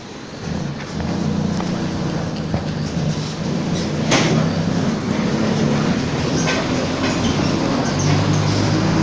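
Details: Torino 2007 bus on an OF-1722M chassis, line 314, recorded 19/11/2018, driving: deep droning roar with a steady low hum under the diesel; roaring (roncando), worn rear differential whine.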